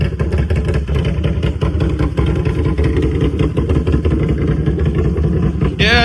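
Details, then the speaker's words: Can-Am Renegade 1000 ATV right after oil and filter change; loud lumpy idle with even beat, no ticking heard though exhaust is loud; normal idle. "she's um, sounding pretty good. I don't hear no ticks or none. I mean, I know it's loud, so I wouldn't hear it anyway"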